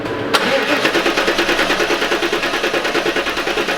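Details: LT1 Pontiac Trans Am (4th-gen F-body), left-bank compression test: steady, even cranking at about two and a half pulses a second with no misses. Reads about 170 psi; the left bank is consistent at 160–170. Normal.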